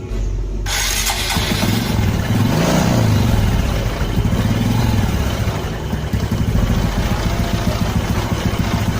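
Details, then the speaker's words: Karisma carbureted motorcycle, long parked, carburetor already replaced and new spark plug fitted: catches and runs lumpy, stumbling, never settling into steady idle, exhaust smells of unburnt petrol; rich mixture from fuel leaking through the fuel tap membrane. "The language smells terrible, so it's like petrol doesn't burn at all, friends, and listen to this for yourself, bro , so this isn't fake, especially if this motorbike has been parked for a long time, friends."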